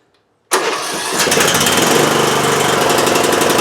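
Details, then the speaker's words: 20-year-old Bolens lawn tractor that would not start due to electrical problems, now cranking normally after a connector was replugged: starter kicks in abruptly, steady rhythmic chug about four beats a second, parking brake set. "Now, how about when we turn it to start? [snorts] I might have to step on the brake for that, though. I have the parking brake set. It should crank. All right, it does."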